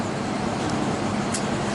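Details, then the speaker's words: Cummins diesel in the Apache build truck (Flex Truck), second start attempt, started easily via electric fuel pump: even, continuous clatter at idle with no stumbles or misfires; fired up and ran smooth. "And it fired up and just ran smooth. Smooth. Yeah."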